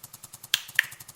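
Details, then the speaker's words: Bissell PowerFresh steam mop pump on medium setting, which should pulse faster than low: even soft thumps about ten per second with two sharp clicks between; pump pulsing steadily as it should. "The medium should make the pump pulse a faster speed."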